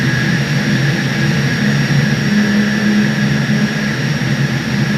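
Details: 1300 TR centrifugal chiller: loud steady jet-like roar with fixed high tone; compressor surging from low refrigerant charge and low evaporator pressure.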